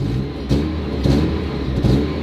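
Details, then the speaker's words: Mazda Miata four-cylinder with aftermarket exhaust, slightly louder than stock, at idle after startup: even, steady low burble with light throttle blips, no knocks or misses; healthy engine. "So when you start the car up, nice and quiet. Mine has an aftermarket exhaust on it."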